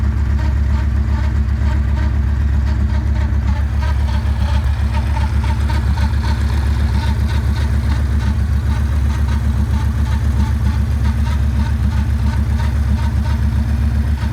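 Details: 2009 Yamaha Raider with a lumpy V-twin idle and a light, fairly regular tapping about four times a second over it; owner asks what the noise is, cause not evident.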